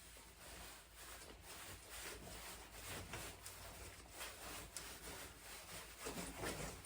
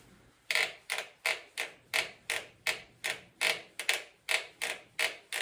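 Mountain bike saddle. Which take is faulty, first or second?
second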